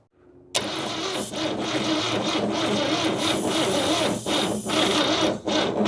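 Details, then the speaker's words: 1969 Toyota Corona, small engine parked 33 years, on a charger with full battery: starter drags slowly and unevenly, about three labored turns a second, never catches despite compression, oil and spark; slow cranking, no start, cause unconfirmed. "Boy, it sounds bad. That's a full battery too. It should be cranking over like zzz. Yeah, it ain't even trying to I mean, this is a tiny little engine too."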